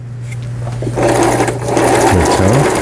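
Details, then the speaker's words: Toyota CB03K household sewing machine (vertical hook, made 2006 in Hangzhou, China), fully disassembled and repaired, sewing zigzag stitch pattern 11: steady quick needle chatter at an even pace over a low motor hum; normal zigzag stitching. "이렇게 되는 거고, 그 다음에 이제 가장 중요하다는 게 11번의 지그재기 되겠습니다."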